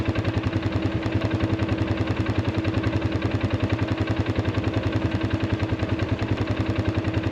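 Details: Arctic Cat 500 ATV in near-0°F cold, after a no-crank fault (only clicking, weak injector prime) traced to a bad AGM battery at 34% health: single-cylinder idle thumps evenly at about three and a half beats per second with no misses; runs fine.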